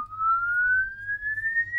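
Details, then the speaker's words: LD Zone 622 two-zone rack mixer, channel five, LED indicating signal: clean sweep tone glides smoothly upward, no crackle, dropout or distortion; no fault found apart from some stuck-on LEDs, not the customer's complaint. "So, the top and bottom of this is I can't really find anything wrong with this apart from the fact that a couple of these LEDs are stuck on"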